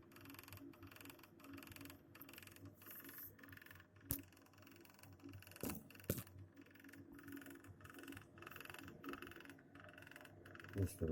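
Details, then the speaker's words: New Navien Smart Tok 24K boiler circulation pump, with the fan off, hums low and knocks in quick uneven beats about three a second; knocking stops when the pump is switched off, system pressure normal. "Котел наведен смарток. Стучит насос. Вентилятор сейчас не работает. Слышно стук насоса."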